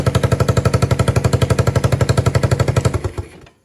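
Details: Yamaha 225DR Tri-Moto under restoration, cold, choke given by hand: crisp single-cylinder thumping at about four beats a second, even and steady, then it cuts off cleanly as the new kill switch is tested; running fine.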